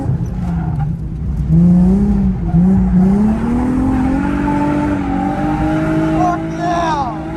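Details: Car at drift event, reportedly running well on first run after battery reset, earlier exhaust leak noted: engine pulls cleanly, pitch climbing smoothly without stumbles or knocks, tyres squealing at end; normal running under load.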